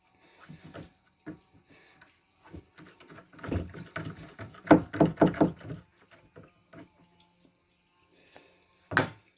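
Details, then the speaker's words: Irwin 42 boat, holding tank pump-out after the air-sucking problem: scattered splashes and watery sloshing with no hiss of air; air is no longer pulled through the head, so the pump-out is flowing normally. "something yeah that sounds better cuz now I don't feel it suck it hard don't hear it sock can air through the head anymore"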